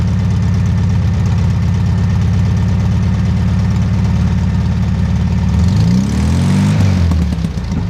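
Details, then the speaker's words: 1969 VW Bug with rebuilt Bosch 009/034 SVDA distributor, vacuum line moved to correct carburetor port: heavy, uneven low chug at idle, beat wavering before a brief rev; rough idle, engine thought to need rebuild or refresh. "it's running rough the engine needs to rebuild but at least a refresh"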